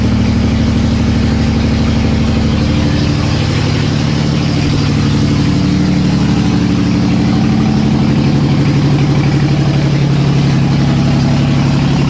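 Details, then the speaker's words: Nissan S13 with swapped VQ35 engine on open headers with no exhaust, restart after first successful start: loud, steady deep burble, even idle with no misses; normal idle. "you guys want to hear it it's so loud"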